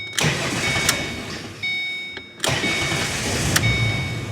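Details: Ford Mustang with a manual clutch, towed in as no-crank; a bad ground was found at fault. After the clutch auto-adjusted, the starter whirs briefly and the engine catches cleanly into a smooth, even idle.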